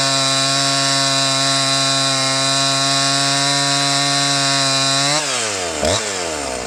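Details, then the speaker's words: Husqvarna 345 chainsaw with a fresh cheap Amazon top-end rebuild kit, warmed up, test cutting wood: steady high-pitched two-stroke scream at full revs, pulling down as it bites; engine sounds healthy, the chain is dull. "Well, she's as dull as a baseball bat. That's not going to help. We're going to have to do a little sharpen on this, but it sounds like it's working right."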